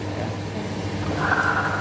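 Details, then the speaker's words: Older Yamaha NMAX on its center stand, rear wheel spun: a rough, gritty hum from worn driven pulley bearings. It is loud and annoying at idle and when rolling downhill. "Ini sangat mengganggu sekali ketika motor lagi engine speed atau istilahnya ada langsam atau stasioner. Nah, ataupun posisi motor lagi di turunan, ada suara kasar yang cukup mengganggu karena dengungan suaranya lumayan cukup keras ya, dan diputar seperti ini pun sangat kedengaran ya, seperti itu"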